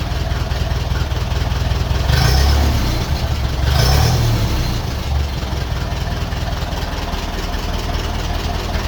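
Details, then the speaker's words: 1951 Ferguson tractor after thermostat housing replacement, running at idle and on hand throttle: low even chugging idle about four beats a second with brief throttle swells; normal healthy idle after repair. "Right, this is what it sounds like at idle now. That's all tightened up and right. And it works on the hand throttle now as well."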